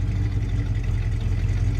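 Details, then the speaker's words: 1974 Dodge Charger with a 360 engine, just bought and on its first road test, idling as a low, steady rumble with an even beat and no knocks or misses. The owner says it purrs and has enough oil pressure; it sounds like a normal idle. "but the thing has zero rot listen to it just purr right there"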